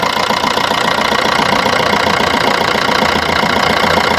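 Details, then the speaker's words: Maruti Suzuki Swift diesel at idle after both injector copper washers were replaced (carbon deposits had opened a gap, causing compression leak chik-chik air noise); now even, steady idle with soft regular clatter, no ticking or puffing, no compression leak. "അപ്പൊ ഇപ്പൊ ഏകദേശം ഒക്കെ okay ആയിട്ടുണ്ട് കണ്ടോ അപ്പൊ compression leak ഒന്നുമില്ല"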